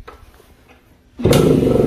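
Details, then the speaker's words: Suzuki AX100 two-stroke motorcycle that died and wouldn't restart despite new ignition coil; with kill-switch wire disconnected, one kick and it fires immediately, settling into a steady, even two-stroke run: normal start. "a la patada bueno vemos que aprendió listo prendió la moto prendió ahí inmediatamente prendió"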